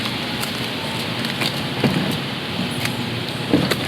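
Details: BMW 428i underbody, noise when reversing or turning the wheel during U-turns: two dull knocks about two seconds apart under steady hiss while maneuvering; knocking from a loose front underbody panel.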